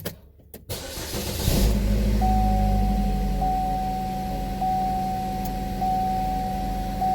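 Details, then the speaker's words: 2012 Buick Verano 2.4L after replacing the intake and exhaust camshaft position actuator solenoids for codes P0013/P0011 and rough running; the starter cranks briefly, then a steady, even idle follows with a faint high electronic tone. "Time to turn on the car, plug this back in, clear the codes, and see if it continues to run a lot smoother than it did."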